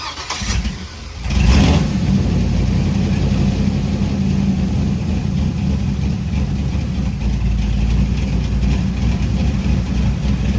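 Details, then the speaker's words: Buick Grand National being tuned, still misbehaving after a first theory failed: the engine cranks, catches and settles into a deep, uneven, stumbling run. "oh it's still doing it on I just went out the driveway yeah no it's still doing it well there goes our Theory now we got to find out what it is"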